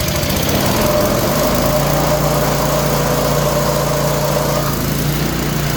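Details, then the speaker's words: Craftsman snowblower, small engine started with choke after checking oil and fuel, earlier squeals: runs steadily with a whirring tone over it; sounds like a bearing, unconfirmed; whirring noise. "Sound like a bearing. Sounds like a bearing."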